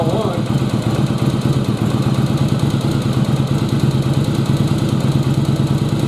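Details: Yamaha Virago XV1100 after carb removal and reinstall, stuck float had flooded a cylinder with fuel, cylinder purged: V-twin fires and settles into a lumpy, loping idle with slow thumping beat; normal idle, air-fuel still to adjust.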